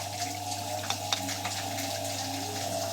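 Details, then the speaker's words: Siemens front-load washing machine that shut off and wouldn't spin or drain, after clearing coins and debris blocking the drain: steady low drain pump hum under rushing, gurgling water, no grinding or rattle; draining normally. "അല്ലെങ്കിൽ motor complaint board complaint അതേ വരാുള്ളൂ drain motor work ചെയ്യാണ്"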